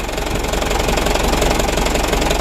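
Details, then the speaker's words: Mitsubishi Canter diesel truck, bought second-hand, at idle: quick, evenly spaced hard mechanical knocks clatter over the rumble; mechanic suspects injection pump timer, pump or injection bearing, or timing gears (chipped tooth or idler gear), unconfirmed. "Gigi timingnya biasanya itu ada masalah di gigi yang di krengsek ya biasanya itu ada sumpil ataupun dari perantaranya"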